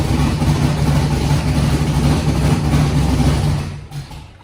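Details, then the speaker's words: Foxbody Mustang 408 V8 on Holley Terminator X, first start after TPS auto-set: rough uneven idle sags and dies within seconds of releasing throttle; still won't idle on its own, throttle body opening may need more adjustment. "It still doesn't want to idle on its own. I have to throttle it to keep it running."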